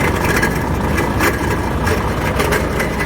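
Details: Volvo FH13 truck diesel: uneven grinding rumble and irregular knocks from the front at idle; viscous fan clutch hub bearing failure.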